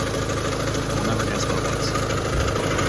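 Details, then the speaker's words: Car idling after the loose timing belt tensioner with a dead spring, which had been slapping, was fixed: steady, even, quiet idle with smooth low rumble and no slapping or ticking from the front; engine running healthy. "Also, do you guys notice anything different about how it sounds? It's pretty quiet, isn't it? I fixed the horrible sounding sound."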